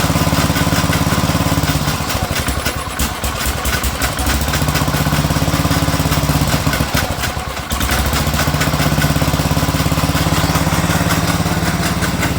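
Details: Sears Suburban 12 lawn tractor with a Tecumseh 12hp engine, barn-stored five or six years, first run: steady idle with a rough, uneven slapping about three per second from the pulley, caused by a chunked drive belt; a new belt is needed.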